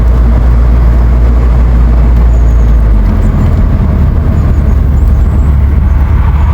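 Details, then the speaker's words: BMW Z3 on a road test after differential work: steady low droning hum under road noise that rises with speed, quieter than before; worn rear wheel bearing suspected. "Still a bit of aoom noise. Can you hear it? >> Yeah. >> Yeah. >> Not dead loud, but I definitely hear a soom. It increases the speed."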